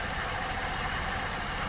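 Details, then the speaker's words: 2008 Sport Van 1.6 L misfire: rough, uneven idle with irregular low thumps and stumbling beat; no spark on cylinders one and two, injection pulses present, causing the instability. "naturalmente si no están trabajando dos de nuestros cilindros pues vamos a tener la inestabilidad que aquí se está haciendo presente"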